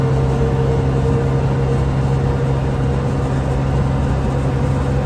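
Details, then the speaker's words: Can-Am Commander driving after a driveline rattle fix (new carrier bearing plus silicone heater hose, rivets drilled out), 10 months later: steady engine drone and low hum, no driveline rattle. "that drive shaft rattle is gone hope that helps definitely a pain in the butt but I think it'll be worth it and here we are 10 months later and and still no Drive Line rattle"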